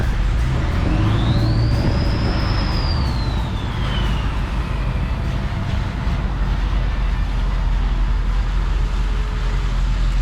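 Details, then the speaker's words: 1999 Ford F350 7.3 turbo diesel running after an injector replacement: even, no misfire, no longer missing, with a loud turbo whistle climbing high then falling away; owner doubts an air filter alone explains the changed turbo sound. "Definitely not missing anymore. Well, that turbo sounds crazy."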